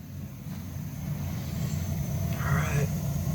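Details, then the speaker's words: Weil McLain boiler after a new gas valve and thermocouple, air purged from the gas line, pilot lit and burners removed and found clean with no rust: a low soft rumble swells into a steady roar. Normal burner ignition. "got ignition took all the burners out banged them they were clean no rust on them they're not Fallen"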